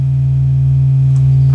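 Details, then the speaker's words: Marshall JCM900 amp after repairing low volume and distorted output, warmed up: a steady, clean tone at full level with no crackle or dropout. Output is healthy again. "all right that's that's that's fine that's well that sounds good"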